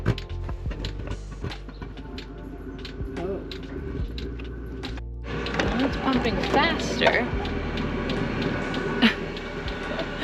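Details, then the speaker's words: Chinese diesel heater newly installed in a Ford Transit van, fuel line primed manually, first power-on: steady sharp pump ticks about two a second, then a rising inferno-like roar as it lights; owners guess air still in the fuel line. "so we powered it on now oh my God it sounds like a Inferno yeah so I'm guessing why it's going like there's still air in the"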